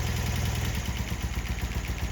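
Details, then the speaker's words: 1972 BMW R75/5 with Bing 32mm carburetors, restarted after cooling down with the right spark plug pulled so only the left cylinder runs: fast, even thumping at a noticeably high idle; the idle screw needs backing off. "So it's actually idling pretty high. So now coming underneath here, we're going to do the same thing. Right now it's idling pretty high, so I'm going to back off the idle screw."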